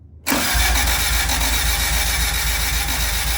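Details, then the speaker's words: Honda Civic EG hatch after an engine swap, distributor disconnected: starter spins the engine at a steady rhythmic churn for three seconds without firing. Cranking with ignition cut to build oil pressure. "Well, got the dizzy disconnected for now. We're going to crank it over just to build some pressure on the oil pressure."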